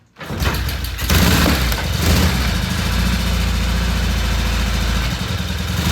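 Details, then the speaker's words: 1974 Norton twin motorcycle after new fuel lines, cleaned pilot jets and battery charge: fires after a couple of cranks, then settles into an even, throbbing twin idle with no misfires or rattles; normal idle. "[Music] oh that sounds good"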